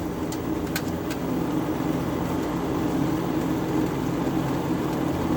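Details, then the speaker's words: Window air conditioner running on medium cool with the grill off: steady, even airflow roar and constant low hum, no wobble or thumping; it runs smoother now that the fan blade is balanced. "runs a lot smoother now that the fan motor is, the fan blade's balanced."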